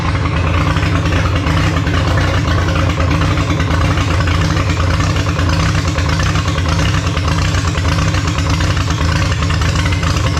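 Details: Holden grey motor six in a HAMB dragster with triple Stromberg carbs during carb synch: loud lumpy idle that hunts and stumbles; big cam overlap means it hates idling below about 1600 rpm, pumping raw fuel out the exhaust.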